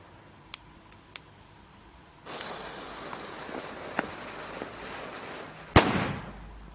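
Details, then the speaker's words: RCA sound cartridge (tape cartridge) player switched on after replacing wax paper and electrolytic filter capacitors and cleaning the potentiometer: faint clicks, steady hiss, then one sharp loud bang that fades; something went wrong on power-up. "whoops something went very very wrong do you know what it is let me know in the comments"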